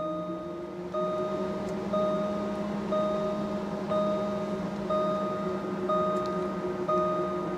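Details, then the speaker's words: Jaguar XK cooling fan commanded to 50% with a Launch scan tool, heard with the door open: a steady low hum with a chime repeating about once a second. This confirms the fan circuit and motor are OK. Normal cooling fan running. "So the system has made the cooling fan come on. So I know the circuit's okay, I know the fan motor's okay."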